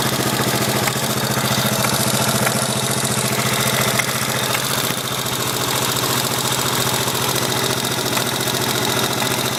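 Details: 1983 Yamaha XT550 single-cylinder idling with a steady hard knock, three to four a second, worsening over days; seems from right-hand crankcase, unchanged by clutch or gear, noticeable only at idle, gone under load and higher rpm.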